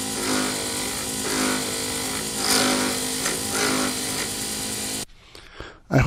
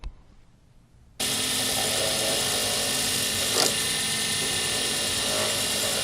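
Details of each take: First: Lathe turning a D-shaped resin circuit board blank for a Sierra pen kit: once the corners are off and the blank is round, chattering stops and the cut is a steady, even rubbing hiss on the plastic. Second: Lathe turning a D-shaped circuit board blank on a Sierra pen kit: steady harsh high hiss with a brief rough catch, the sound of the tool scratching the blank, which is to be avoided.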